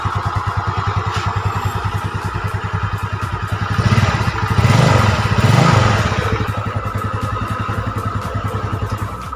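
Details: Yamaha Mio Sporty automatic scooter, previously burning oil with leaking block and head, after repair: quick, even putter at idle that briefly lifts and settles, no knocks or misses; normal idle.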